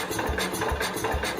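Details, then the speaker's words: 1969 Cub Cadet 105 single-cylinder, being slowly unchoked: uneven, spaced firing bursts with gaps, missing and struggling to run; owner checks carb mixture screws. "let's check the adjustments of that carve it's only firing"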